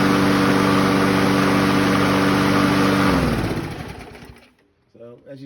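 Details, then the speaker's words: 2004 Craftsman mower 917.374430 with Briggs & Stratton 6.75 HP engine (125K02-0371-E1) after carb rebuild and cleaning; steady even drone at constant pitch, no hunting, winds down smoothly: normal governed speed. "see, that sounds about right where it should be running at."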